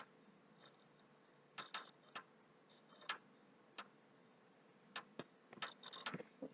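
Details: PS3 that is very slow to start, with the HD already formatted, replugged at the wall and powered on. Sharp, irregular clicks in bursts over a faint hum, near the HD; the noise stops and returns. Clicking noise, cause unknown, owner suspects hardware.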